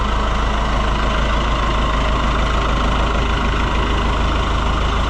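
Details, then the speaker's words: Oliver 1365 (Fiat 640) tractor diesel after fixing a fuel filter leak: steady, even idle with a smooth low chug, no knocks or misses; sounds healthy. "What a sweetheart. I could listen to it all day."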